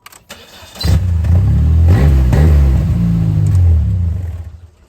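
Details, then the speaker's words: Dodge/Plymouth Spirit at startup: a loud, deep, blatty rumble, too loud for intact pipes. Owner suspects a hole in the muffler; the finding is an exhaust leak before the muffler. "I'm assuming it's a hole in the muffler that's what it sounds like but we'll have a look"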